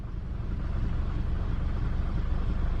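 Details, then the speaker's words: 2006 Duramax diesel stuck in limp mode with ABS and brake warnings: starts, then lumps along at a low idle with uneven, labored pulses close to dying; rough running near stall, cause not yet known. "it starts and it dies let's try it again it starts and it dies and it starts almost dies sounds like crap"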